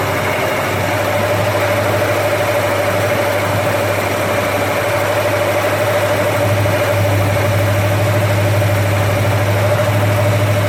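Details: First start of a rebuilt 289 V8 after an almost two-year restoration, never run before: a smooth, steady fast idle with an even low hum and no knocks or ticks. Oil pressure is great and coolant is warming. Healthy running.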